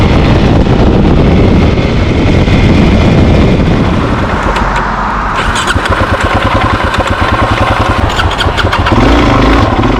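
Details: Suzuki DRZ400SM that died while riding home: rough engine sound fades out, then sharp regular clicks about three or four a second as it tries but fails to restart; cause unknown.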